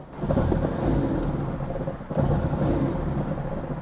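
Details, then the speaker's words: Crash-damaged Honda Civic Type R FK8 non-runner with burst intercooler: uneven lumpy rumble, engine surging and sagging, almost no throttle control; owner suspects the holed intercooler upsetting air ratio. "yeah it's almost like there's no throttle control"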